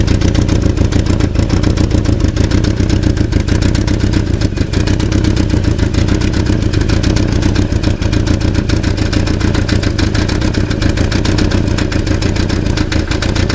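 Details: German Passat: heavy, low rumbling rattle running steadily with the engine, sounding like an internal engine knock, but caused by a loose catalytic converter; loose catalytic converter rattle.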